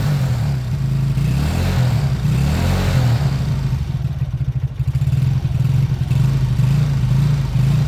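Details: Beaten-up old Lexmoto single-cylinder bike after the carb fuel feed was fixed: it picks up cleanly on each blip and settles back to a steady, even idle with no misses or knocks. Normal running.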